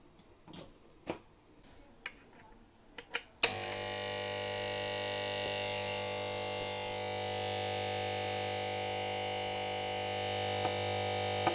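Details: Old mains transformer (power supply), removed from equipment, making a steady hum with harsh gritty buzz from loose laminations, before repair; fix is soaking it in lacquer and baking at 200 °C.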